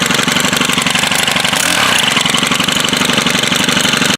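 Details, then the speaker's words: Stihl FS100RX trimmer under repair, primed and started on the first pull: crisp, buzzy two-stroke idle that stays steady with even firing and no stumbling; runs well even before the planned carburetor replacement. "So as you can hear, it does run well, which is part of the reason why I was hesitant to order a carburetor, but I figured I might as well if I'm going to do this right."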